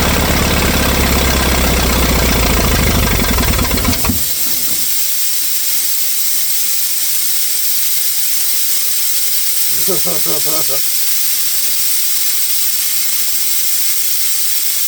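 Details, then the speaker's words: 1964 LeRoi 125G1 trailer air compressor, straight-piped, building to about 80 PSI: loud engine runs steadily then abruptly dies at about four seconds, leaving an air hiss; stalls under load, owner suspects too little warm-up on choke. "So, why is it shutting off? Are we just not letting it warm up enough with the choke?"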